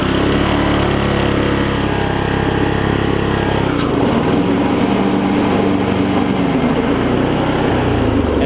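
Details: Older Murray riding mower with its engine refitted and a new drive belt: the engine races high and steady, then sags and roughens when the blades engage. It bogs under load; a governor fault is suspected despite correct adjustment, possibly an internal engine failure.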